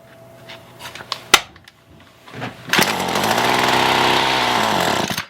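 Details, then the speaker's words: Roadside-found Ryobi weed eater with a dirty, low-fuel tank: after a few recoil pulls it fires to a high buzzing rev for about two seconds, then cuts out abruptly; starts then dies, cause not confirmed. "so it starts up and then dies right away"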